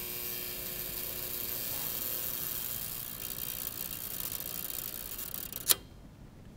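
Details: General Electric 121AC53B electromagnetic overcurrent relay, repeat bench test: faint coil hum as current builds, then one sharp click as the instantaneous (50) unit picks up at about 10.1–10.3 amps, matching the previous 10.2; trips properly.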